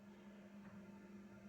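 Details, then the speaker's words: Diesel heater in a van nearly down to its lowest setting: quiet steady low fan hum with no rattles or surging, louder on setting six; normal running. "it's nearly down to the first setting now can you hear that to be perfectly honest with you in my opinion that is not noisy obviously it's noisier when you put it on six"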